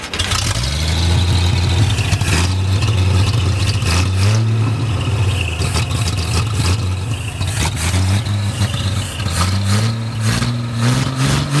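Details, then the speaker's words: 1937 Chevy with a 250 six-cylinder that had not run for years, five-speed: loud, steady deep idle that revs cleanly and settles back; runs well, though timing seems slightly out and it sounds better once timing is advanced. "but yeah it runs it sounds pretty good it's loud sounds like the timing's a little bit out but"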